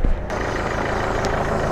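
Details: Nissan Micra, push-button start with clutch pressed, after steering lock switch replaced and battery connected: quick catch, then a steady, even low idle with no knocks or misses; engine running normally.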